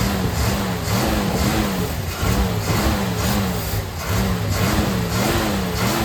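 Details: Carter RBS 1-barrel carburetor on a 250 inline six, before rebuild, running alcohol-free gas with Berryman B12 fed in and throttle tapped with the choke: speed rises and sags every couple of seconds; it won't hold a steady idle. Cause suspected, not confirmed.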